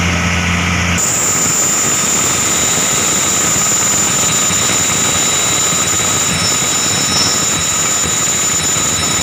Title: Abnormal sound coming form ac fan belt